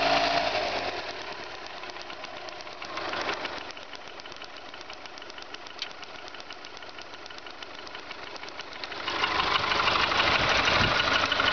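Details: VW Golf 4 1.4 engine: light, regular tapping about three a second over the idle, persisting through two short revs; source unclear.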